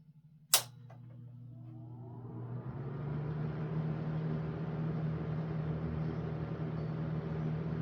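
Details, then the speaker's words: Homemade 10-inch ILG box fan with ILG Model 103 blade and old Eskimo desk fan motor, line-switch cord, just serviced: switch click, soft whoosh and steady low hum climbing smoothly to speed and holding even; runs smooth and quiet, normal. "It really has a nice, smooth, quiet sound to it. It's a great fan to have by your bedside."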